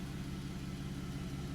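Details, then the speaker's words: Buick Enclave idling after re-pinning broken throttle position sensor connector: steady, even low idle with no misfires, knocks or ticks, no pedal hesitation; repair successful, engine healthy. "as you can see that new harness is in it's looking good car sounds good all right no hesitation in the pedal"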